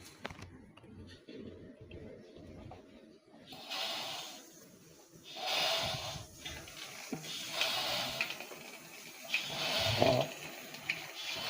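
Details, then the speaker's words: 7 L manual oil fluid extractor pump after disassembly and reassembly: airy hiss swelling with each pump stroke about every two seconds; pump draws fluid but vacuum still leaks near the top of the tank. "Cuma ada bunyi bocor. Bunyi bocor tu tak hilang lagi."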